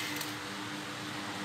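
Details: Old oscillating ceiling fan, restored after a cut power cord and missing blade, with blade and cord replaced: steady even whir and constant low hum, no knocks, rubbing or wobble; running smoothly and strongly.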